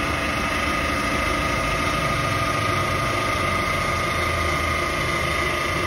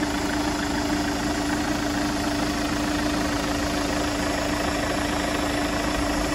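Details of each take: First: Chevrolet Captiva diesel idling: steady whirring chirp over diesel clatter; engine noise found to be worn idler pulley and belt tensioner, both replaced, running smooth afterward. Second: Chevrolet Captiva diesel AWD after replacing the noisy idler pulley and tensioner: steady, even idle with a smooth drone and no chirp, squeal or rattle from the belt drive. Normal idle.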